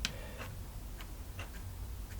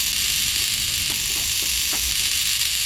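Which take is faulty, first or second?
first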